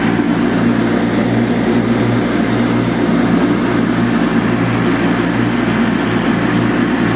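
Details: Revived Cub Cadet 782 Kohler, with a new pulse fuel pump and cleaned carb, mowing wet, tall grass while varying RPM to seat the rings: deep, steady drone holds pitch, no misses or knocks, goes right through the heavy load.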